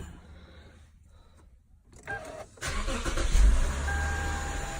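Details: 2007 Lexus IS250 after replacing a dried, cracked drive belt that caused loud knocking and squeaking; cranks and settles into a steady, even idle with no squeal or chirp; problem solved.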